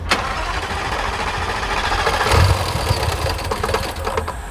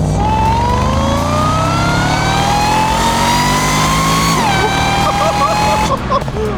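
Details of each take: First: 140,000-mile Jaguar XFR supercharged V8, modified for more power, after suddenly stopping while driving: rough, uneven cranking with heavy low chug that never catches cleanly; specialist later found a jumped timing chain. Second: 140,000-mile Jaguar XFR, supercharged V8 with power mods aimed at over 600 hp, on road test before dyno: clear whistling supercharger whine climbs in pitch with revs and drops off throttle, far louder than before mods; healthy, pulling strongly.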